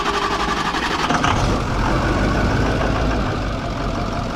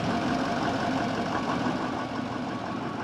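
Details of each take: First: Broken-down bus, starter solenoid jumped with a screwdriver: heavy, dragging slow uneven cranking, then the engine catches and keeps running; starter struggling, suspected failing and needing replacement. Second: Broken-down bus after starter solenoid was jumped and it finally cranked: steady, even idle rumble with light regular clatter, no misses or stumbles; engine idling normally despite suspected failing starter.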